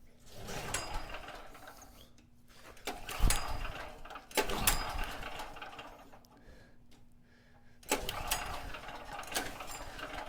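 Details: Cheap used generator, 38 hours on it, had been running then suddenly wouldn't start: repeated recoil pulls, short whirring bursts dying away without firing; owner first suspected flooding, cause turned out to be corroded on/off switch contacts giving no spark.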